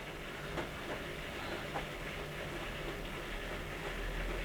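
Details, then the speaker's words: Hotpoint 10 kg NSWM 1043C washing machine draining during rinse with a light laundry load: steady pump rattle, laundry slaps and water swish, no ticking; normal. "so it might have gone a bit faster given that it's only got very little laundry in it the pump is rattling away"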